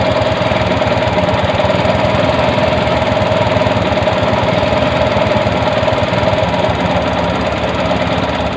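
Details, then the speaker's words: Bajaj CT 100 single after spark plug and tappet clearance fix, idle adjusted: loud, busy metallic rattle about four clatters a second over idle, identified as timing chain guide. "Okay yung ganyan mga pre na ingay. Timing chin chin guide yan. Ganyan malakas natin"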